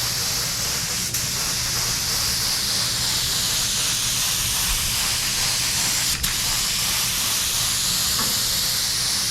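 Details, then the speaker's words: DeVilbiss FLG4 spray gun laying paint on a '69 Charger: hissing, pulsating spray with sharp spits. Adding reducer didn't help; owner suspects a clog, paint too thick or low pressure. "Hear the gun hissing? Yeah. I don't know what's up with that. It's spraying okay, it's just like it's pulsating."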